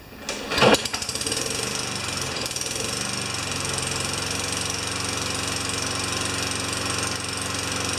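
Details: Yard Machine mower with Tecumseh 4HP engine that had stalled after a few seconds, after governor linkage work and six primer pumps: catches on one pull and settles into a steady even buzz; normal running.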